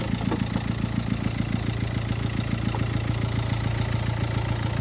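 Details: Renault Lodgy diesel that had overheated and had its head gasket redone, at idle: sharp, even ticking three or four times a second from valves striking the pistons, plus piston slap from worn liners.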